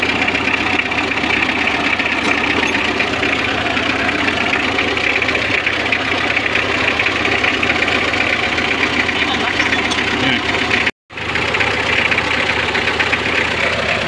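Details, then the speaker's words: Mitsubishi L300 4D56 diesel after cylinder head replacement, radiator shroud removed because the fan was hitting it and causing noise: steady idle with even fast clatter, no rubbing or scraping on top; running normally. "Di tinatamaan ng LC. Kaya pala maingay. So yung tinanggal namin, wala na. Normal na yung kanyang andar."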